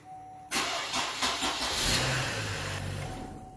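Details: 2007 Chevy Trailblazer 4.2: a few slow, laboured cranking beats well below normal before barely catching; weak crank, battery suspected pending load test.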